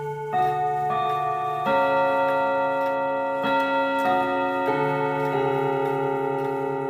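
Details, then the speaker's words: 1940s Manufrance box clock with Girod movement and Saint Etienne chimes: run of bell-like chime notes uneven in timing and strength; misadjusted chime hammers, seatboard needing precise position; escape wheel also has uneven teeth. "Yeah, I'm sorry that the hammers weren't adjusted properly, but uh The seatboard has to be in a very specific position."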